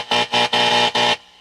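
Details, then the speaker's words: Air-O-Ear tube radio on the AM broadcast band during repair: touching the loop stick antenna brings four loud raspy interference buzz bursts, then back to quiet hiss. "Yeah, you touch the loop stick,"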